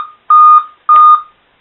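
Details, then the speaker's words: Motherboard revived by baking in an oven, with its CMOS battery previously removed: clean identical high POST beeps about half a second apart, part of the code-5 pattern. This indicates the CMOS battery / CMOS lost its memory; it earlier gave code 7 with a blank screen. "Had the 5 beeps at that one time, and I checked it, and it's CMOS battery. Makes sense, since I had the CMOS battery out, that CMOS lost its memory."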